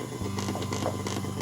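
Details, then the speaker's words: Earphones on a PC front-panel jack pick up noise while a phone charges via front USB at 18%; steady low buzz with fast irregular ticking and chirps from the phone's charging circuit regulating current draw, not constant current. "소리를 들어보십시오 잡음이 난다는 것은 지금 요 길에 흐르는 전류가 일정한 전류가 아니라는 것을 의미합니다"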